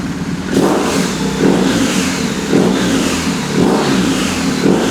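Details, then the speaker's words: 2020 BMW R1250R after replacing left-cylinder timing chain tensioner with updated 2023+ longer (19mm head) type, torqued to 32 Nm: repeated smooth throttle blips with no top-end ticking; warm-engine ticking gone, revving normal. "Alright, so firing on. Let's listen to the sound now. What? It's worked. So the ticking sound is gone. No more."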